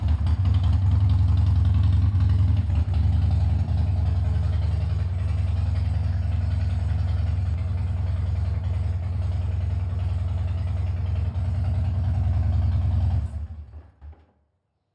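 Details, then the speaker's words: Harley-Davidson after All Balls starter clutch replacement: deep even V-twin idle with steady low thump, no starter cracking; startup noise gone, possible slight compensator noise at shutdown, present for two years. "so um this is what she sounds like now and the cracking noise that uh we heard at startup has gone"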